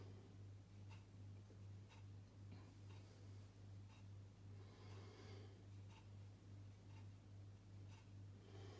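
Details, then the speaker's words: Indesit IWDE124UK washer dryer, over seven years old used daily, no drum spin, on spin cycle: sharp relay clicks about once a second over steady low hum, no motor spin-up; worn motor brushes. "you should hear the point where that the machine turret starts to train fire off normally would be trying to rotate the drum as well you can hear the relay triggering"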